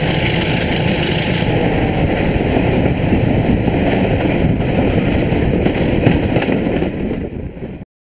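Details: Class 33 diesel locomotive 33053 departing Alton on the Mid Hants Railway: a loud hoover-like rushing roar over a rough diesel beat before it cuts out as the locomotive fails; cause unclear.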